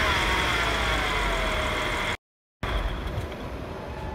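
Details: 2015 Audi S5 petrol engine with a steady high whine and light rattle that rise with the revs; cause unknown.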